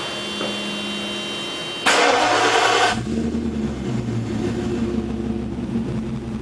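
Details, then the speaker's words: 1994 Mercedes E420 V8, 177,077 miles, cold start in a garage at about 40°F or colder: starter whirr, it catches at once with a brief flare, then a smooth steady idle; white vapor is condensation, not smoke; full pressure shown; normal. "So yeah, she sounds pretty good. Don't be scared, it's not smoke, it's condensation. It's like 40 degrees right now, if not colder, but anyway."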